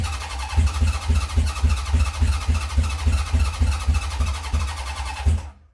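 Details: 1970 Honda CB750 K0 four, start attempt after decades sitting, using a bigger assist battery: uneven chuffing around three and a half pulses a second while cranking, weak irregular firing that never settles; owner suspects not all cylinders firing.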